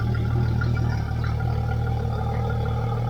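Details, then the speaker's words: Yamaha F225XB outboard newly installed and rigged on a 21 ft pilothouse boat, fresh 20W-40 oil, running out of the water: even low rumbling idle with smooth fast beat, no clatter or stumble; running properly. "Alright, it's running perfect. Everything is done on the engine and it's ready to go."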